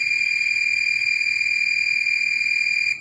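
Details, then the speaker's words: Fluke 189 multimeter, discontinued, new old stock, continuity test with Probe Master gold-plated silicone leads: steady high beep with slight warble for about three seconds, then stops; sounds unlatched but probably latched, normal buzzer. "wow that buzzer sounds really strange makes it sound like it's not latched but I think it is"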